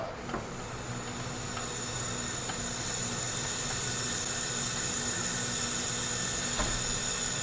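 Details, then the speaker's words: Leak-down test on cylinder 1 of a 1977 Toyota SR5 pickup's 20R engine, sat 10 years, reportedly ran rough and lost coolant: steady loud airy hiss, 10 psi difference; cause not confirmed. "Leak down test number 1. Cylinder. 10 psi difference on cylinder number 1."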